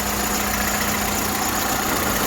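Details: Vandalised salvage VW Golf Mk6 bought at auction, described as mechanically immaculate: a smooth, even idle with a steady hum and no knocks, ticks or whine; sounds healthy.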